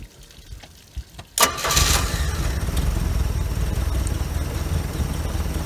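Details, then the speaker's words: OMC 140hp 2.5L stern-drive inboard, neglected for years, fuel pump swapped and run on gravity feed, started before winterizing and possibly still needing tuning: faint clicks, brief crank, catches straight away and settles into steady, even idle; normal start. "These are fired right up. That's a good sign."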